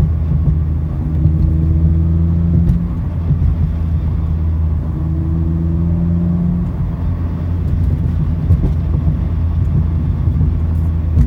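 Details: 2016 Mazda MX-5 with aftermarket exhaust, engine braking just below 3000 rpm, mostly 2nd and 3rd gear: engine drone with a faint scraping tone coming and going as throttle closes; cause unknown; scraping under engine braking.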